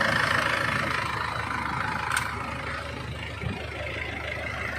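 Engine settles into a quiet, fairly even idle with a steady low beat and no knocks or misfires; it's running fine now.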